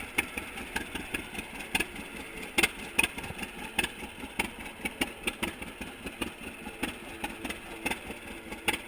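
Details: 1942 John Deere Unstyled A conversion whose engine was stuck, first start after fitting new spark plug wires: slow, uneven two-cylinder popping, about one beat every two seconds at low idle; a healthy old tractor chugging.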